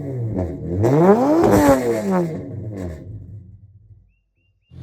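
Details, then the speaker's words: Nissan G35 sedan VQ35DE drift car revving before engine pull; sharp climbs with a thin, metallic, ear-piercing rasp at higher RPM from aftermarket headers, to be replaced with OEM headers: tinny exhaust note. "I don't know if you guys heard that in the sound clip, but when this car is like higher in the RPMs, it's got like a tinny uh tinny noise to it. It kind of like pierces your ears a little bit."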